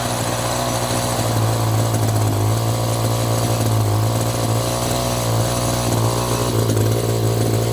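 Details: Echo GT200i string trimmer two-stroke, after turning out the carb adjustment, choke off: loud, unbroken constant-pitch buzz with no surging or dropouts; steady normal running, carb may need slight further tweaking.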